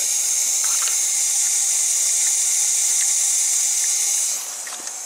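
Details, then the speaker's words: 6.0 Powerstroke air-tested after the injectors were reinstalled and the oil rail refitted: a steady high hiss in the same area persists. The oil rail nipple O-rings are suspected of leaking. "because the nipple O-rings look to be possibly leaking because I can still hear it basically in the same area"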